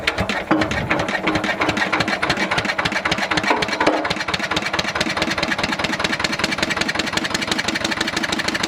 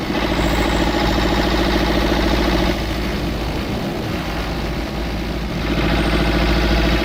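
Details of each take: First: Old twin-cylinder diesel vibratory roller that broke down about 20 years ago, first run after years: harsh, loud, lumpy chuffing at idle as if only one cylinder fires; misfire, owner suspects debris in the second cylinder's injector. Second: Old twin-cylinder diesel vibratory roller that broke down about 20 years ago, after running a while: steady, even thumping about three and a half beats a second, both cylinders firing; normal idle, earlier miss suspected from injector debris.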